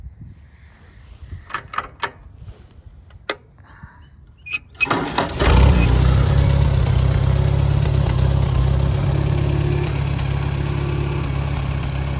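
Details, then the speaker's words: A 1961 Farmall 140 with an added magneto, new plugs and plug wires, and a muffler from a Super A gives a few clicks, then fires and settles into a steady, deep, even chug with no misses; it runs normally. "So I'll start it up here and I'll show you how it runs."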